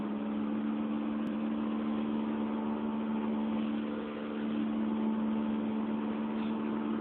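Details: 2004 Honda Fit GD3 1.5W at about 50,000 km, four years old, driving, phone mounted in the car: steady low droning hum over road noise; worn rear hub bearing.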